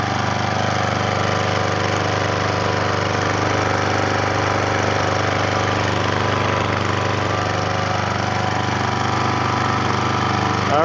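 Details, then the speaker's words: Troy-Bilt Professional pressure washer after the repair, quiet-design large muffler: even, muffled single-cylinder thrum at constant speed, no knocks, rattles or hunting. Healthy running. "Wow listen how good it sounds first is like a kitten then it's not very loud actually it does have a sticker on it it says a quiet quiet design large muffler to reduce noise that is awesome"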